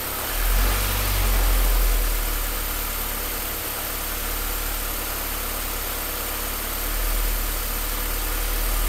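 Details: Idle rises and sags unevenly with a lumpy, shaking beat instead of a smooth, steady hum; rough idle.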